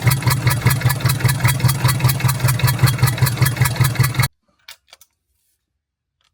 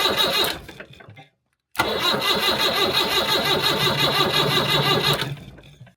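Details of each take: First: 1975 Land Rover Series 3 109" with Perkins 4.203 diesel idling: rhythmic chuffing pulse about two and a half per second, then shut off; blown head gasket. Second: 1975 Land Rover Series 3 109-inch with Perkins 4.203 diesel after head gasket replacement and valve job: cranks briefly, catches and settles into a steady, even idle clatter with no knocks; healthy running engine.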